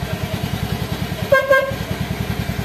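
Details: Motorcycle fitted with a homemade relay anti-theft alarm: engine idles with an even low thump, then a short, clear horn blast cuts in; working horn.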